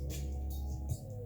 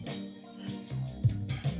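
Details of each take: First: Mitsubishi DA-R20 amplifier on phono input, before STK-1060 output module replacement: music harsh and fuzzy with buzzy low end, worse on the left, and the amp goes into protection after a while; output stage distortion. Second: Mitsubishi DA-R20 early-80s receiver after STK-1060 output module replacement, phono listening test: clean music, steady bass, clear highs, no hum, crackle or dropouts; working across the board.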